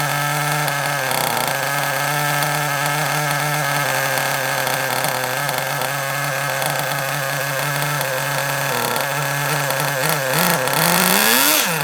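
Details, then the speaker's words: Kyosho Mini Inferno ST 09 nitro RC engine, primed with a starter box, holds a steady buzzy idle but ticks over slightly slow; the idle is a little too low and gets turned up. "Bit too low. Let's turn it up a little bit. It was a little bit too low."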